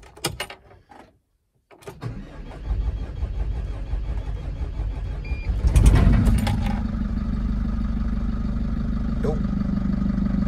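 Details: 2006 Mercedes Sprinter 3.5-ton Luton, OM611 turbo diesel, first start after engine rebuild with manifold refitted: a few seconds of cranking, catches at about six seconds, then settles into a steady, even diesel idle with no knock.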